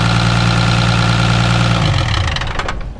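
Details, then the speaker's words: 1976 Ford F250 Highboy with Isuzu diesel swap, sat a long time, first start after adding diesel: steady even diesel clatter about three beats a second, strong, then winds down at shutoff; runs good, not smoking much. "guys, well, it is running. It's not smoking that bad. So at least it does run good."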